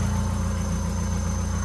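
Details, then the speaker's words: Honda Civic D16 engine, first start after a rebuild and reinstall, slightly smoky at first. Steady, even low idle with a smooth, unbroken rumble and no knocks or misses; sounds healthy. "as y'all can hear This Is Us starting it up a little bit Smoky right now fine"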